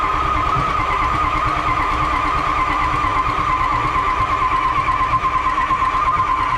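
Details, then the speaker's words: 6.0 Powerstroke diesel truck flipped into a pond, water found in old ECM connector, ICP good, fuel pressure 60 psi: steady starter drone with a constant mid-pitched whine, engine turns over but never fires; cause unknown, owner suspects steering column/ignition. "we'll have it up and running though so it's turnovers that's a plus we don't know why it's not turning over the ignition yet but it could be something in the column"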